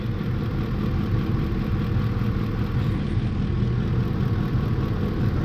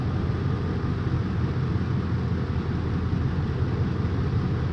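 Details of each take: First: 2004 Ford F-150 with 5.4 L 3V V8 and flashing check-engine light: low, lumpy, stumbling idle with the engine rocking. Cylinder 8 misfire, rear driver side, attributed to a bad ignition coil. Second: 2004 Ford F-150 5.4 3V V8 after replacing the failed cylinder 8 ignition coil with a new Master Pro coil: steady even low rumble, no misfire lope; engine no longer rocking, idling smoothly.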